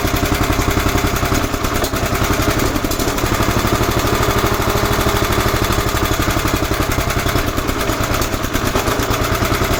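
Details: 11 hp Honda single on an Emglo air compressor, after a carburetor and air cleaner box replacement. Steady, even thump at constant speed, no misses or surging, while pumping the two long tanks: running right under load.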